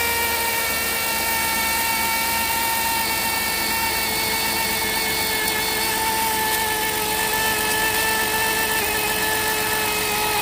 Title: 100% bad alternator bearing..